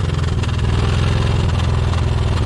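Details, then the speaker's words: Isuzu Trooper idling and revved: loud, deep, throbbing exhaust with uneven chuffing pulses as a clogged, hot catalytic converter disintegrates and shoots honeycomb pieces out the exhaust onto the ground. "it's literally just shooting out everywhere. It's currently shooting pieces of the cat out onto the floor."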